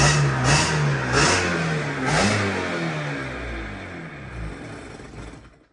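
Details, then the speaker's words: 1997 Sea-Doo XP 800 two-stroke, sat for years, carbs rebuilt from pieces: revs rise and fall unevenly, ragged but cleaner than before; cause unconfirmed. "That's how it's running out of fuel. Like it won't, it's not taking it."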